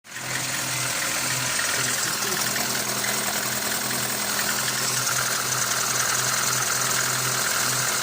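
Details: Lada Granta 8-valve engine at idle: faint, fairly even knock about three per second; camshaft end play removed and valves adjusted, owner suspects piston skirt slap, cause unconfirmed.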